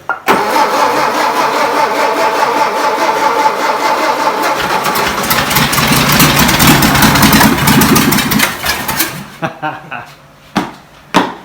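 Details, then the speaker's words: 1959 VW Beetle first start after about 45 years, no muffler; cranks, catches and runs rough with smoke for several seconds then sputters out as carburetor bowl runs dry; fires then stalls from empty carburetor bowl. "Let me see how I can fill up the reservoir of the the carb and see if we can let it sit."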